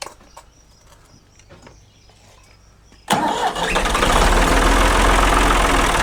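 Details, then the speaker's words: 1975 Ford 550 backhoe diesel started right after a fuel filter change: quiet ticking, then cranking bursts into a rough, uneven run, struggling to catch because air is still in the fuel system. "Air in the system. All right, folks. We had a little exercise in, let's call it patience and learning."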